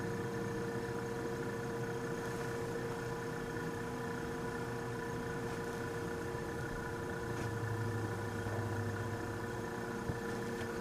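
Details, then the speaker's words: Vintage Westinghouse fridge compressor: a steady low hum with no knocking, clicking or labouring, drawing 2.4 amps against a 3.2-amp nameplate rating in a cold room; running smoothly. "so unrehearsed this is a start attempt 2.4 amps and she's running doesn't even sound all that bad"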